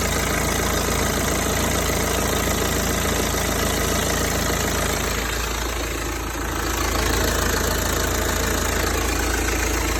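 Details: BMW 320d (58 plate) diesel idling with a regular knock about three and a half per second over the clatter, coming and going, heard warm and cold alike; source unclear.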